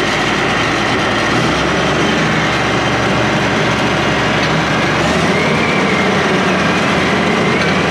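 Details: International IH 175C track loader diesel, pedal just adjusted, loader working: loud steady roar, even firing, no knocks or misses; normal running.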